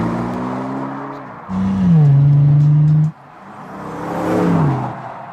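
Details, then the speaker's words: Bentley Continental GT convertible (W12/V12) after roof repair, push-button start then revving: clean start, sharp blip and smooth rise and fall with deep even note, no knocks; healthy engine revving. "Let's push the start button. Rev engine. Music to my ears."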